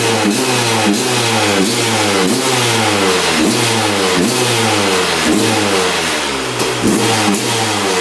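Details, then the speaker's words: 2001 Honda CR250 two-stroke on fresh 40:1 fuel after draining old gas: sharp repeated throttle blips revving up crisply and dropping back cleanly; throttle response much improved. "That's sounding better. Might just be clearing out."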